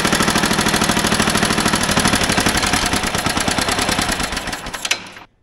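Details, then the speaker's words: Old motorized dumper small engine with idle turned up half a turn: rapid, slightly uneven popping that fades, sputters and cuts out after five seconds; stalls after running briefly, owner suspects a clogged carburetor starving it of fuel. "yeah we must have something clogging up in the carburetor cuz I don't think we're pulling enough fuel carburetor got to come off dang it"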